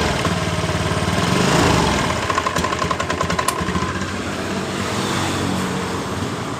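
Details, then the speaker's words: Honda Beat ESP scooter that starts and idles normally but dies when throttle is opened: revs surge then break into ragged popping and fade; stumbling from low fuel pressure, fuel pump/rotak blamed. "ini perhatikan motor ini ketika kita tarik tuas gas motor ini brebet atau hilang tenaga ketika kita kemudian ditolak seperti [Musik] ini dan seperti saya jelaskan tekanannya berada di 42 PSI ketika berada di 10 atau 20 PSI bertanda di bagian dari full pump atau rotaknya ini yang jadi permasalahan"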